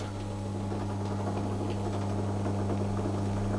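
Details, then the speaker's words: Hotpoint Empress vintage single-tub washer, previously not starting, now working after continuity checks (owner suspects a fuse or the socket): steady low electric hum with an even tone throughout; agitator motor running normally. "I seem to have fixed it I checked everything for continuity and that seemed to convince it to work"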